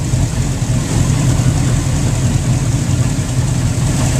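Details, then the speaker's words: Mercury inboard boat engines just fired up at the dock, idling: deep steady even burble with no misses, knocks or ticks; running smoothly. "so let's see you see in the engines are fired up oh yeah big dog"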